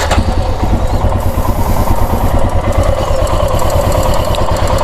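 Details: Royal Enfield Himalayan single-cylinder engine at idle; thumping idle with a faint light ticking on top, described as timing chain tick-tick noise.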